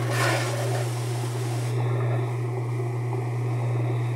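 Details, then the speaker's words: Whirlpool washer on spin after the jammed tub was freed, during repair of broken tub: steady low motor hum, no knocking or scraping; tub now spinning freely as it should. "Y así debería estar girando con la tina, ya que está destrabada."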